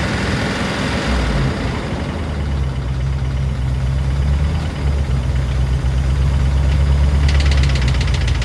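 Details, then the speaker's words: P38 Range Rover, stuck valve/lifter after sitting all winter, fresh oil with Liquid Moly and Rislone added, warming up at idle: light uneven tick about three a second over steady rumble, mostly right side; lifter suspected. "Now that it's starting to warm up, you can hear the ticking from the lifters. So, didn't hear it as much when I first started her up, but hope the mic is picking this up."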